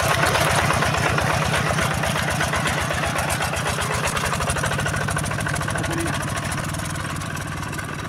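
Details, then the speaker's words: Yanmar TF-85 tractor diesel after on-site repair. The engine itself is smooth, but loose, worn tractor body parts add rattle. A steady, even single-cylinder thump at idle with sheet metal rattling and no knock: normal idle. "Sebenarnya mesinnya ini sudah halus ya."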